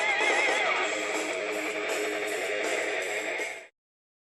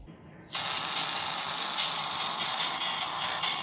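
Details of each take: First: Laptop speaker after repairing its cracked, crackling diaphragm by covering it with double-sided foam tape; music plays clear and full with no crackle or buzz on louder passages, speaker reproducing cleanly. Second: Laptop speakers, found after a motherboard repair: playback sounds harsh, crackly and tinny, with no bass and buzzing over everything. Both speaker cones are torn at their edges, causing the distortion.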